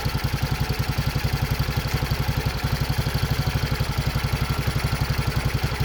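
Steady single-cylinder thump at idle, about four beats a second, even and unbroken with light valve clatter; engine running normally.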